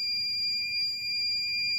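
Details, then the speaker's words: Arduino MQ135 ammonia detector for a chicken coop, with a tissue held near the sensor reading 400–500 ppm, labelled dangerous: steady high-pitched buzzer tones over a faint fan hum. It alarms above threshold as the reading falls to 160 and 140, then the buzzer is covered. "Nah, dangerous. Jadi values berbahaya, nilai sangat berbahaya bagi kesehatan tubuh manusia. Saat ini menurun 160, 140. Oke, buzzer akan saya tutup karena suaranya terlalu keras."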